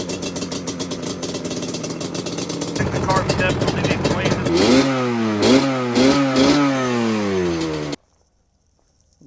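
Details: Yamaha Banshee two-stroke twin with cool head and Toomey dune port, started on choke on a freezing day, carbs still needing service: it fires up and answers quick throttle blips with clean rising and falling revs; ignition sounds healthy.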